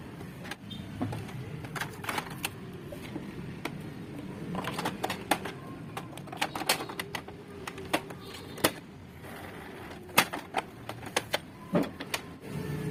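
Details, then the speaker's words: Canon MG2570 printer that would not pull paper and made a loud ticking noise, after repairing the broken paper-feed gear lock: light irregular clicks and soft ticking, with no grinding or loud clatter; normal paper feed after the fix. "Hey here if it's smooth and the sound is smooth it's heavy this is normal this is a trial"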